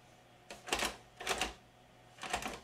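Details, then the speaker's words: Magnavox ZV427MG9-A DVD-VCR, tape insertion attempted: three short bursts of mechanical clatter from the DVD mechanism, no loading-motor whir, tape never loads; a shorted capacitor and damaged transistor had cut capstan/loading motor power. "No loading motor movement whatsoever, but I do hear the DVD mechanism over here doing something. You hear it clunking, and then nothing ever happens on the VHS side."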